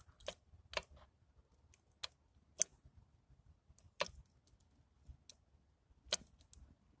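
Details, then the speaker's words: Old Ford axle opened up, gears turned by hand: irregular sharp metallic clicks, about eight in seven seconds, as the worn differential spider gears skip past each other, briefly locking the axle before spinning again. "they're worn to the point where they're skipping past each other and I guess when they skip past each other the axle locks up for a second then they spin again"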